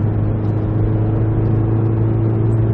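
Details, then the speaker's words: VW GTI Stage 2 with APR downpipe after replacing factory front muffler with Vibrant 17950 resonator, in-cabin windows up, 2500–3500 rpm: steady low hum with only faint drone, drastically reduced, almost stock. "It doesn't eliminate it, but it is drastically reduced and almost sounds stock all over again."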